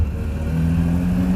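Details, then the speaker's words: Subaru 360 two-stroke van after sorting, driving in second gear: engine note climbs cleanly and smoothly under load with no stumble or misfire; pulling well, much better than before. "oh yeah she wraps up good this is gonna be a good runner way way better"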